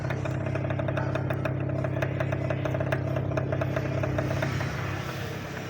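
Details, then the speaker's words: Mademsa washing machine that drains nonstop, powered up drawing 0.21 A, 16.8 W: steady low motor hum with fine buzz, drain pump running continuously because a shorted control-board triac. "turn on we see there 021 amp 16.8 W and there is a sound behind The light bulb is working So"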